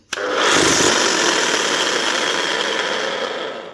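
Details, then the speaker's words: 2005 Makita HM1202C demolition hammer with 20 years of work, before repair: the motor spins up with a harsh, gravelly whirr and rattle over a high whine, then runs down. The armature sparks on one side (possibly a brush), and the gearing sounds a bit geary from worn armature and crank gears. "Maybe it does, maybe it doesn't. Don't know. Thought it sounded a bit geary."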